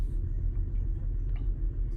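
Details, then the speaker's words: 2010 BMW X5 E70 30i going into limp mode with reduced engine power, shaking badly at idle. A low, lumpy, stumbling idle rumble from misfiring, probably from a failed ignition coil or spark plug. "like right now this car is like really shaking so I know that it's probably an ignition coil or a spark plug"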